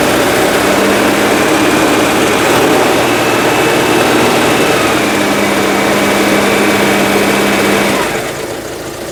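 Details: Citroen GSA flat-four at idle: a steady whine rides over the engine note, then fades as the engine dies. The alternator is suspected, and a different belt tension is being tried. Abnormal noise at idle, cause not confirmed.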